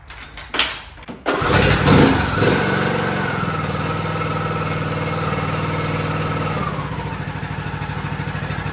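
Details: John Deere D110 lawn tractor after restoration, oil change and greasing, gas primed into carburetor; brief cranking, catches and settles into steady, even idle with no knocks or misses; runs healthy.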